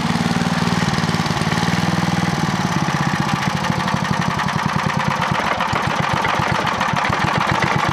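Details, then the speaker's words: Clarke generator with Briggs and Stratton engine, low on fuel, after over-volt fix: strong even single-cylinder beat held at constant governed speed with no hunting or surging; runs properly. "that's about right that sounds pretty good so that works superbly"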